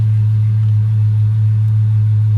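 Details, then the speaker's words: 2000-06 Chevy Suburban 5.3 V8 after replacing the knock sensors on circuits 1 and 2 with a new wiring harness: a low, smooth, steady idle rumble with no ticks or knocks, running normally. "Let me start it up for you. So she's running good."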